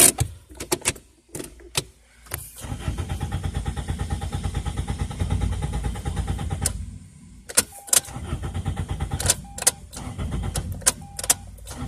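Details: 2002 Toyota Corolla LE, 173,491 miles, previously running fine: repeated steady starter cranking at an even pace, tried in neutral, but engine never catches; crank no start, cause unknown.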